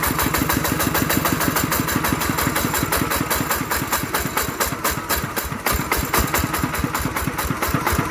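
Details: Single-cylinder ET 110 diesel after rebuild for a loud knocking noise (connecting rod/bearing or crankshaft suspected): even, steady thumping beat with no knock or rattle, now running well.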